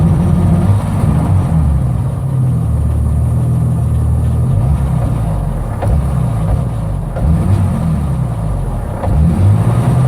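A petrol engine runs with a deep, uneven rumble, stumbling and dipping instead of pulling smoothly. Cause suspected, not confirmed.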